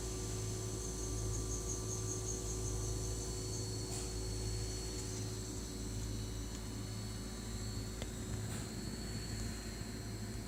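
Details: New Sears Kenmore model 51833 refrigerator, recorded on a Nexus 5X phone with audio normalized then volume divided by 4: constant low hum with faint high whine, running loud; reviews mention a noisy compressor; loud running hum.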